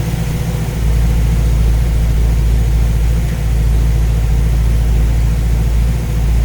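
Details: Ace's Killshot EFI system on a V8 just installed, Blackjack distributor with timing set at 15°, idling while the radiator is topped up with water; deep, steady even rumble with no knocks or stumbles, sounds pretty good. Normal idle.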